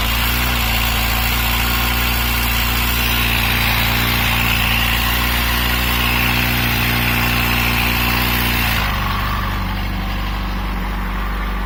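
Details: Yamaha FZ6 inline-four idling with a steady light knock about three to four per second over the exhaust note, clearest at the end; chain said to be in ideal condition, source unclear; engine knock.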